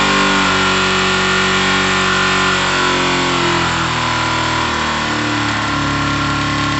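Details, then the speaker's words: Kawasaki ZL600 twin, on start-up after rewiring the clutch switch, revs up and hangs high at idle then slowly falls back, with carbs not yet balanced; idle too high, idle setting suspected but not confirmed. "shouldn't be revving up that high oh yeah yeah but yeah it shouldn't be revving like that though maybe it's the idol"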